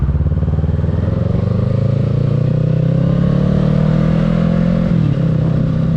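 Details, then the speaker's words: 2022 Kawasaki Ninja 650 being ridden with the windscreen removed: the engine pulls steadily with no buzz or rattle from the front fairing. This confirms the windscreen caused the earlier fairing vibration. "Okay, so as y'all saw in the video, like I said, no fairing vibration at all with the windscreen off."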